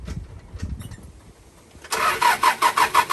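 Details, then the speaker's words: Toyota Dyna truck starter after repair, its solenoid shimmed to the unworn side because it had only engaged at certain ring gear positions: quiet, then the starter engages at once and cranks in brisk even pulses about three per second, clean engagement. "beautiful that's what we want to hear that's the winner"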